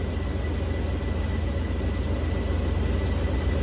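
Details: Ford F600 truck with Holley 4412S two-barrel carburettor, idle lowered, air screw being turned in during tuneup: low uneven idle with a bobbling stumble a few times a second, from incorrect idle mixture setting.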